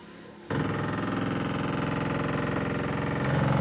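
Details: ZAZ Tavria/Slavuta windshield wiper motor (two-speed, three-brush, permanent-magnet) sticking in the left position and stopped working in one direction: coarse, labouring buzz with three or four rough pulses a second and a crackling sound, like worn gearbox teeth grinding.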